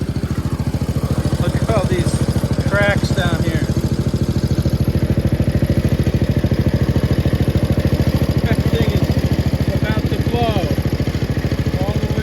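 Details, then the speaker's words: 1971 Gravely 430 tractor with a single-cylinder engine, running after work on choke, air filter and a PB Blaster-sprayed throttle cable. Even, steady thump with no misses, knocks or rattles; runs smoothly, normal running. "I can't really get under the dash so that's a problem this thing is running mint now guys"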